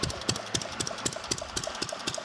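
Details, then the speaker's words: Fairbanks-Morse Model Z throttled-governor engine, just hooked to fuel, no repairs needed: crisp even ticks and firing pops about four per second, no knock or miss; running well. "so there we go she is running sounding pretty good"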